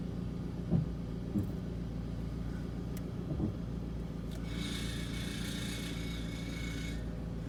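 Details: 2004 Toyota RAV4 S at low speed: drone with a few dull clunks, then a thin metallic rubbing squeal, creaking when turning right and braking; loose heat shield, noise gone after removing it.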